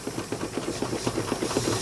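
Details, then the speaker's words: Miniature space-saver steam engine driving a pump, always temperamental; uneven weak hissing puffs about six a second, rhythm faltering as it loses steam. Owner suspects it is tight inside. "almost I can hear it losing losing Steam it wants to go it's pretty fancy little motor it might just be tight inside"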